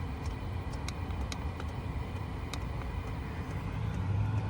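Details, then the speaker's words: HCalory TB2 Toolbox 2 diesel heater on first run after power raised via remote, output not much warmer yet: steady low rumble with soft airy intake suction and faint light ticks, no surging or popping; running normally. "I can hear the air sucking in."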